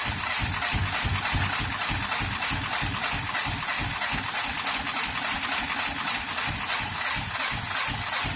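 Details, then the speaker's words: 2013 Honda Pilot J35 V6 after the timing belt slipped: uneven loping idle with irregular chuffing pulses, about three a second, and a hissy top end, weak-sounding cylinders; owner suspects flooding may be part of it. "they sat for a while, and then the cylinders will get flooded, and without doing a flood clear, it'll just keep running like it didn't have any compression."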